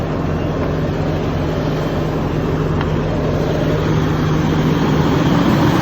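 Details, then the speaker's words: Detroit DD15 diesel at 900 rpm on cruise control, after replacing all six injectors with OEM. Injector #2 was cracked, pushing compression into the return line and aerating the fuel. Smooth, even drone with no pinging or chirp. Fixed. "rpm as you guys can see the noise went away there's no more pinging noise so yeah the fix was the injectors"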